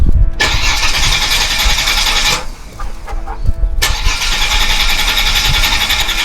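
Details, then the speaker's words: Holden VY Commodore (listed as both 3.8 V6 and 304 V8), unstarted for 7 years, with about 304,000 on the odometer. After checking fuses the fuel pump is heard; short crank, engine catches, idles steadily, stops and restarts cleanly. Normal start and idle. "Did you hear that fuel pump? Oh [ __ ] He runs. It's alive."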